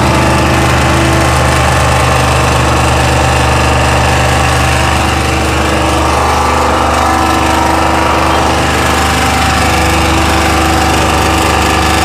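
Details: Chinese 2000-watt generator, loud steady drone with uneven rough tapping about three a second; abnormal running noise, cause unclear.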